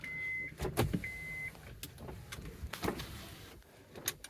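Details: 2009 Honda Odyssey, only driver's window had worked; after installing a used master window switch with matching part number, two short smooth steady motor whirs about half a second each, no grinding or stalling. Window motor runs normally.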